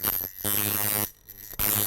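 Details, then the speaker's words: Coil tattoo machine on 6 volts after lifting the front spring, changing its angle and resetting the contact screw: strong steady buzz switched on and off, long stroke, much more force; running evenly. "mess with your stroke, and now you can see that it's got a nice long stroke. And it's got quite a bit more force."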